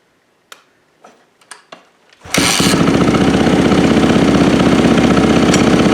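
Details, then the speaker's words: Yamaha YZ450F (2010/2012 stated) first start after top-end rebuild and cam timing setup, kickstarted in three kicks: clicks and taps, then the single settles into a crisp, even, steady idle with no knocks; runs healthy. "three oh that sounded really nice yeah let's try this again very nice"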